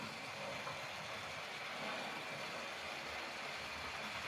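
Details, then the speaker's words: Repaired Hornby model Hall-class locomotive running on track after being stored boxed for a long time: fine, even whirring motor hiss with no stutters or surges; now running smoothly. "as you see it's running lovely you can probably gather you can you can hear the motor clearly hear the motor on this"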